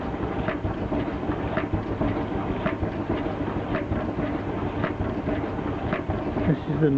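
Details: Miele Novotronic T294C condensing tumble dryer running: dry scraping rasp about once a second with each drum turn over motor hum; worn humidity sensor brushes with base contacting drum rim, brushes to be replaced.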